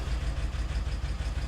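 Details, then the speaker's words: BMW E70 X5M, misfires on cylinders 5, 6, 7 (one bank), idling after intake active test: low, lumpy idle with uneven pulse, sounds horrible, intake test worsens it; cause unconfirmed. "It sounds horrible now. Really bad."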